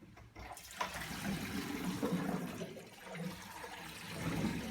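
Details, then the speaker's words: Kitchen sink drain after replacing the cup with a 45° elbow and exit tee: water runs down with a soft, steady wash, no dripping or gurgling; drain flows quietly. "there's no more dripping sound. No more dripping sound after the new improvement."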